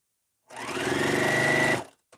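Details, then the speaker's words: Sewing machine chain-piecing quilt blocks: quick burst of even stitching with a thin whir climbing in pitch underneath. Owner says the bobbin makes a strange spinning sound when low and suspects it is nearly empty. "I keep checking to see if I'm out of bobbin because I can hear the sound of the bobbin when it's low. It's got this like strange sound as it's spinning down under there. I can hear it."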